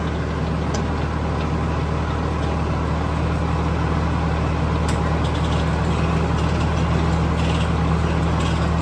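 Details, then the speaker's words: New Holland 329 manure spreader sitting unused about 5 years, seized shaft replaced with one from another spreader, driven by tractor: steady low drone with even churn, no knocking, grinding or clunks; normal running. "well that concludes that video till we get some inur spread but it does work"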